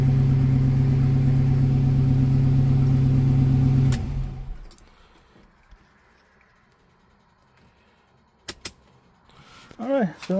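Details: 1971 Rover 3500S (North American P6) V8 idling after Lucas 11AC alternator install replacing a seized pulley bearing: steady low hum for four seconds, no squeal or chirp, then shut off; no more squealing, charging well; normal idle.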